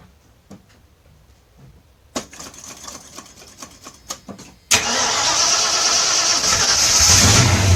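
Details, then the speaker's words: 1984 Mustang GT 5.0 L V8, previously suffering heat-soak hard starting: after installing a new high-torque mini starter, a few brisk starter whirs, then it catches at once and revs strongly. Normal cranking and start. "all right so she started right up I can instantly hear the difference in that starter just the power that it has compared to the old one"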